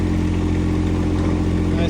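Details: IRE20 mini excavator diesel after drain-and-refill maintenance and a pilot control fix, running just above idle with hydraulics off. A steady, even drone with no knocks, misses or hunting. It runs smoothly and sounds healthy.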